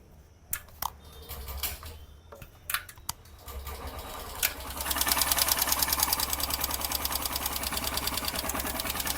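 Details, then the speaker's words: Honda SP 125 BS6 motorcycle at idle after start: fast light tick-tick about three per second over the idle; mechanic suspects tappet noise from valve clearance, tappet setting to follow. "आप देख ले engine से किस तरह से टिक टिक टिक टिक का काफी knows आ रहा है तो कहीं ना कहीं मुझे लग रहा है कि इस बैक में टाइपर से साउंड आ रहा है"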